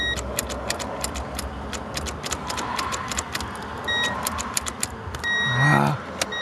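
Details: 1990 Honda Accord that sat in a scrapyard for a year: keys rattle, then a short sluggish crank that never catches because the battery is flat; a new battery made it fire right up.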